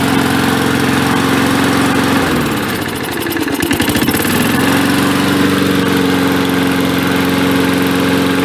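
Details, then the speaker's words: 1965 Briggs & Stratton 82906 3 HP with wind-up starter, first start after long storage, main jet possibly clogged: steady engine hum sags briefly midway then recovers to even smooth running, no knock or misfire. "I think sounds great nice and smooth too"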